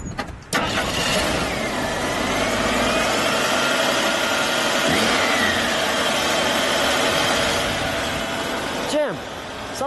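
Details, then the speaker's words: 1983 AMC Eagle Sport SX/4 4x4, original 258 CI six, under 35,000 miles, custom exhaust tip, just started: smooth even idle, steady hum, no ticks or knocks; normal idle, sounds like a new car. "a brand new car y y let me get the exhaust note there you got a little exhaust custom tip on that sounds smooth sounds smooth"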